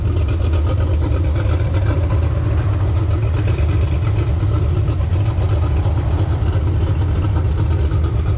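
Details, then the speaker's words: Turbocharged Pontiac 400 V8 in a LeMans, driving after a roadside repair of a burst turbo oil feed line: deep, even rumble with a steady low drone, no knocks; 50 psi oil pressure, no leaks. "We have 50 lbs of oil pressure and no oil leaks."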